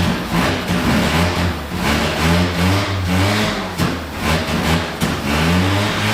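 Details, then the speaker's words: 1974 Mazda Rotary Pickup with new Holley carb after replacing O-rings and needle and seats: revs up and down unevenly, hesitating and bogging as throttle opens; owner suspects insufficient accelerator pump shot. Stumble on acceleration. "all right so it runs I think we have uh an issue with the accelerator pump I don't think we have quite enough accelerator pump shot on it right now"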